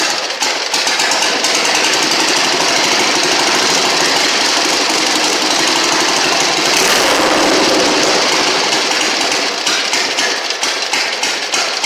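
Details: 1960 Harley Sportster Ironhead, sat since 2010, after magneto/points check, carb cleaned, fuel flushed, timing and points set, kick-started: rapid, slightly uneven popping beat at fast idle with rattle; running normally.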